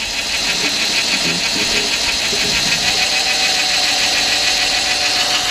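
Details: 2004 Nissan Maxima 3.5 after repairing P0301 cylinder 1 misfire, run for 15 minutes: even steady idle with light regular tick over hiss, no stumble or miss; idling normally.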